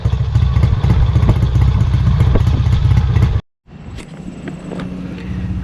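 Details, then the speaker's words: Kawasaki W1 twin on first start attempt after rebuild, carburettor being adjusted: lumpy, uneven beat that stumbles and quits, won't hold an idle off choke; owner suspects an air leak or fuel starvation, possibly lean, carb to come off again. "okay well it appears this car has to come off again um somewhere it's got some kind of leak air leak or it's not getting fuel properly"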